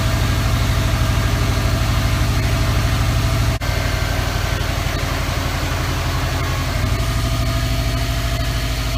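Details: 2003 Subaru WRX idling after the AC belt tensioner pulley/bracket was replaced and the belt tightened; the belt had squeaked with the AC on after a regas. Deep, smooth, even idle pulse with no squeal or chirp: normal idle.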